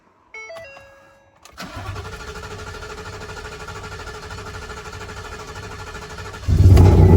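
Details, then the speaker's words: Ford 5.0 V8 first start after fitting a Boss 302 intake manifold, eight reman direct-injection injectors and new tune to cure a misfire: cranks briefly, settles into steady even idle with only light valvetrain tap, no knock; normal start and idle. "Y'all saw that first start. She starts, idles fine, sounds perfect, has that light tap of a 5.0, but there's no knocking, nothing like that that people complain about."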